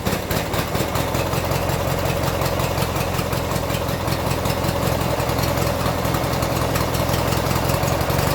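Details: 1996 Briggs & Stratton 17hp I/C opposed-twin flathead, running on its own for the first time in over ten years, with Sea Foam added and some smoke. It idles with a steady, even low chug and no misses or knocks.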